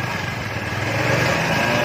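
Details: Honda Vario 110 scooter that would not start, after repair work: quick, even putter with steady light buzz and no knocks or misses; engine idling normally.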